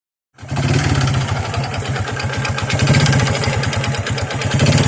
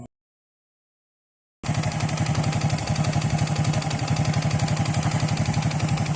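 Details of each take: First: Honda XRM 125 single-cylinder before overhaul, kick started: hollow regular knocking under its idle beat, mixed with piston slap from the block; connecting rod knock. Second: Honda XRM 125 after overhaul with new connecting rod set, block still scored and needing rebore: even single-cylinder idle, smooth regular firing about four beats a second, no knock or rattle; normal idle.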